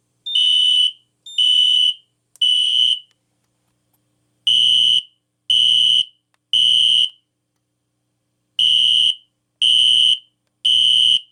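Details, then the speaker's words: System Sensor P2475 SpectrAlert Classic fixed-candela horn strobe on a Kidde FX panel with full-wave rectified power: temporal-three beeps repeating, each burst buzzing with the tone sagging; pitch drop typical of older SpectrAlerts on FWR. "You can hear the pitch drop on the older Spectre alerts with a fixed candela strobe, which is very interesting."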